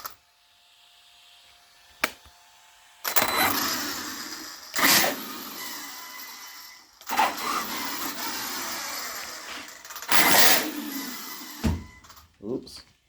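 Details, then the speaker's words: Mojave EXB RC car with throttle turned down, one wheel gripping: short bursts of harsh raspy grinding on each throttle pull, stopping sharply between pulls, from the right side; a bad differential is suspected. "Yeah, one wheel's gripping, the other wheel's just making a weird sound. Sounds like right side."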